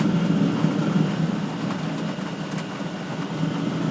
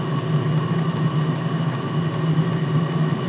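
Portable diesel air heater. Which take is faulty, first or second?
first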